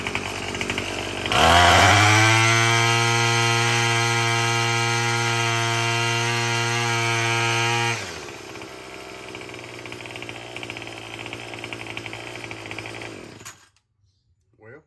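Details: Murray M2510 string trimmer, previously a no-start with broken-off choke lever, after a cheap quick fix: starts, holds a clean high buzzing rev about six seconds, drops to smooth idle before shutdown; runs healthy.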